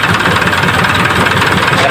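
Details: Isuzu 4HL1 diesel after replacing dirty part with new one and cleaning crank sensor: steady, even idle with faint chug, no misses or knocks; now starts and runs cleanly, earlier hard start and rough running fixed.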